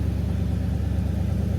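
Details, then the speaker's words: 1977 Ford F-150 Ranger XLT 4x4, 4-speed manual, at idle, microphone near the exhaust, no smoke: deep, steady exhaust burble with even pulse, no ticking or misfire; healthy normal idle. "Like I said before, nice sounding, nice tone on the exhaust there."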